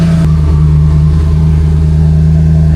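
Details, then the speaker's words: Race car with twin Precision 6266 turbos, after the trunk battery relocation and a fuse swap, at 14.4–14.5 V: a quick catch, then a strong even drone with fan and turbo running. It now starts much better than before. "Starts up way better now. Oh my gosh. I hope you can hear me with the fan and the turbo's going"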